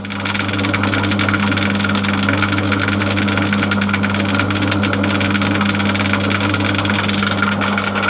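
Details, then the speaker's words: Old-fashioned motor running with steady hum and faint irregular internal clatter while drive side is quiet; owner suspects something has come adrift inside the motor and may damage the armature, motor to be dismantled to find the rattle. "yeah i don't know if you can hear that but there is a rattle there i am i'm going to pull the motor off and find out what that is"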